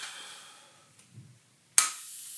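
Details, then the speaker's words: Planet Eclipse Ego LV1/1.x paintball marker just pressurised from a bottle: a sharp burst as gas enters, then a thin steady hiss that won't stop. It is leaking at the block (breech, bolt or solenoid suspected). "Donc là, dès qu'on le met sous pression, on entend tout de suite, on a une fuite au niveau du bloc là. Alors ça peut être soit la culasse, soit le bolt, soit au niveau du solénoïde."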